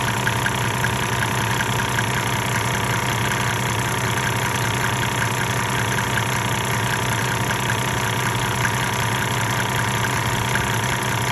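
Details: 1998 Mercedes-Benz E300 OM606 diesel, 185,000 miles, at 9,000 ft altitude, idling before the Diesel Purge fuel-system cleaning and still smoking. A loud clatter with an uneven, lumpy beat gives a rough idle. The owner suspects the injectors; not confirmed.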